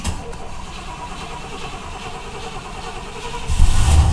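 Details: 1990 Cadillac that sat a long time and needs a tune-up, cold start after three pedal pumps: quiet cranking for several seconds, then it catches and roars up. Hard cold start.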